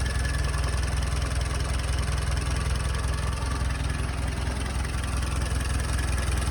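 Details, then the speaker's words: Jeep engine idling in neutral, engine bay: low, lumpy, uneven pulsing idle with no steady rhythm; rough idle, and the owner suspects the carburetor needs adjustment. "My hunch is she does need a carburetor adjustment, but I'm gonna let it idle. Or let you listen to it."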